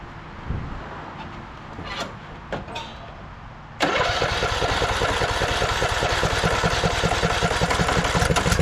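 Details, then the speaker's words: 2014 Craftsman T1600 lawn tractor, Briggs & Stratton single-cylinder, after bypassing the broken blade safety switch: quick crank, catches and settles into a steady, even putter around 220 beats a minute; runs great. "But yeah, this thing runs great."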